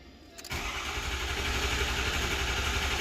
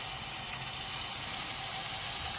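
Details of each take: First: 2006 Ford 6.0L Powerstroke diesel, 139,000 miles, after repairing the high-pressure oil system for a crank-no-start: catches after cranking and settles to a steady even idle with regular low clatter; normal start after long priming crank. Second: 2006 Ford 6.0L Powerstroke, 139,000 miles, crank no-start: high-pressure oil rail air-checked at almost 120 psi with valve covers off. Steady hiss of escaping air on one side only; standpipe suspected bad.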